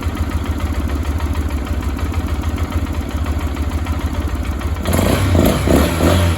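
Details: 2022 Lifan KPR200 after cold-engine valve clearance adjustment (intake 0.08 mm, exhaust 0.12 mm), started to check for leaks: steady single-cylinder putter at idle, then a brief throttle blip; no valve tick over the exhaust, normal idle.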